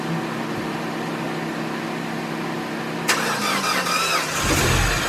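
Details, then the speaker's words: Mini engine at its first start after head gasket and timing chain reassembly, with fresh oil. It started a little rough, then holds a smooth, even idle with steady pitch; some handling clatter near the end. Normal idle. "good news is starch runs runs great just like it did when i shut it off um started a little rough but i let it run for about 10 minutes"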